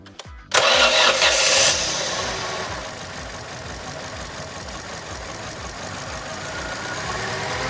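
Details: Opel/Vauxhall Corsa C 1.2 petrol with cold-start problems, after cleaning the suspected bad ECU plug connection with electrical cleaner: short crank, catches at once, flares and settles into a steady even idle; starting normally.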